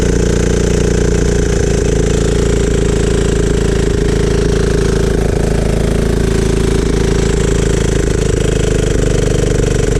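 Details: Free riding mower after spark plug cleaned and gapped and choked to start: loud, steady single-cylinder chug at constant speed with no misses or stumbles; running normally.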